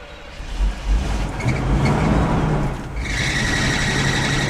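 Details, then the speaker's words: Abandoned Winnebago motorhome, hot idle after 100-plus miles on the road, restarted after dying: rough low idle rumble, then a sharp high whine suddenly rising over it; loud alternator whine, cause unclear, belt suspected. "Why is the alternator so mad suddenly? I did just crank it, I guess. But what the hell? Wow, that alternator's pissed."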